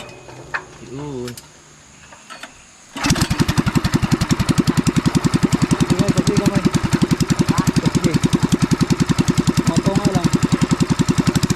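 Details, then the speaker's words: Farm pressure washer's small single-cylinder engine, which would not start after heavy rain, after being repaired: catches after a few seconds and settles into a steady, even beat of about 214 per minute with no misses; running normally. "so Andito na mga kaf booy oh yung ating pressure washer maayos na"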